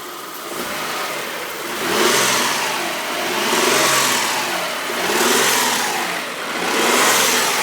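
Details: 1998 3000GT engine revved repeatedly; a harsh metallic rattle comes in on each rev rise past about 2000 rpm. Owner suspects a spun bearing, not confirmed.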